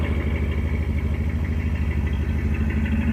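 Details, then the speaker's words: Carbureted engine with new CS130 alternator wiring and a mechanical fuel pump, warm after about 15 minutes of running: low steady idle at about 650 rpm, vacuum correct, an even beat with no misses, ticks or hunting; healthy idle. "let you hear it for a second rpms are about 650. vacuum looking correct"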